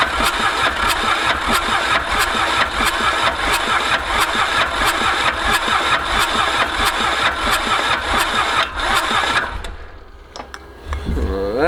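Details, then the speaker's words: Mitsubishi K3D diesel in a Ransomes Bobcat mower, unstarted about nine years, cranked with fuel pump off and fuel shutoff engaged: even starter cranking about ninety beats a minute, never catches; crank no-start. "we are gonna shut the fuel pump off hit the fuel shutoff and just crank this thing over"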